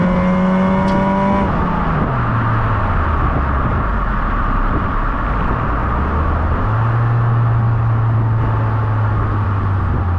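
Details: 2008–14 Honda Accord Euro CU2 K-series after fitting a Vibrant Ultra Quiet resonator, heat-wrapped PLM downpipe and high-flow cat to cure a buzz; deep, subdued note rising and settling smoothly with no drone or rasp; normal exhaust note.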